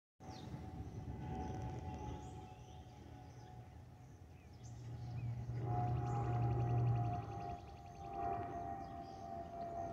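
Steady high whistle near one pitch riding over the low cabin rumble, the usual wing vent whistle on this airliner type.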